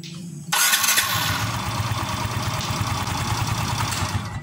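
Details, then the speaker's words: Yamaha Mio M3 scooter after cleaning residue from the starter dynamo, which had caused a rough growl when starting and when shutting off: starts cleanly and runs steady and even, growl gone; normal start and shutdown. "Oke teman-teman suara ngorok sudah hilang"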